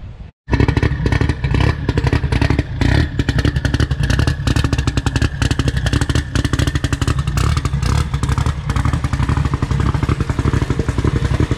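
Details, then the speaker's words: Toyota billet 3TC drag car at its first start-up on a 16-volt battery, fuel pump and ignition on. Loud, lumpy idle picks up cleanly on sharp throttle blips and settles back evenly. The engine fires and runs healthy and sounds good, though the owner thinks it probably needs more gas. "so damn it sounds good what do you think you like it yeah it sounds really good right"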